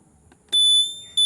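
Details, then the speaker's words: TVS Ntorq 125 scooter with newly installed signal buzzer mounted at the battery bracket, tested with turn signal on: two short, piercing high beeps about half a second apart; buzzer works, though not for hazard (double) signals. "ඉතින් ඔන්න ওই විදිහට තමයි signal බීපර් එක මේ set කරාම තියෙන්නේ. මේක ඩබල් සිග්නල් වලට සද්ද දෙන්නේ නැහැ."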